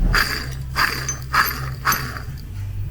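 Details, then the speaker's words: 2018 Vauxhall Crossland X with 33,000 miles and a horrific engine noise: the AC compressor pulley spun by hand while awaiting a new compressor gives a coarse, gritty rumble surging with each spin, a rough worn pulley bearing. "but in the meantime let's just give this little pulley a little bit of a twister a spin and just show you how rough it is listen to"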